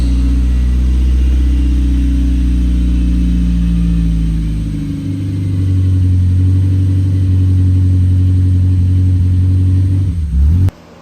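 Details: Mazda Miata on its first test run after an engine swap, MAP sensor plugged in: revs unevenly, sags midway, then idles lumpily before shutting off. The water pump is fine; timing is suspected off by 15–20 degrees.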